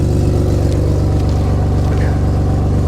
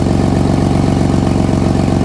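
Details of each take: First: Nissan Skyline R33 RB25DET after a power steering fix (new hoses joined with a stepped brass joiner, air bled): turning the wheel just short of lock, steady engine hum with no whine, the reservoir no longer frothing; normal pump operation. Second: Nissan Skyline R33 RB25DET at idle after a power steering hose fix and bleed: a rapid, sharp puffing tick in time with the firing is the exhaust leak, with no noise from the pump.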